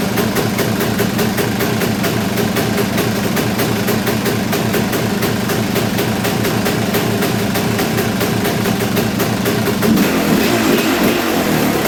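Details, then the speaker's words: Kawasaki KX250 two-stroke idling after reassembly, no longer bogging but still needing carb tuning: rapid, slightly uneven popping beat that never settles, not knocking; owner guesses it is running rich. "I mean to me that doesn't sound quite right the way it's it's not really knocking or anything like that it just kind of it's hard to say I guess"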